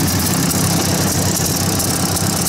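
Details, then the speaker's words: 1953 Ford Golden Jubilee tractor idling after transport: rough, puffy chuff in the exhaust note, a small exhaust leak suspected where the pipe enters the muffler, maybe a missing bit of gasket. "well we made her home sounds like a little bit of an exhaust Le somewhere I think they all sort of sounded like that"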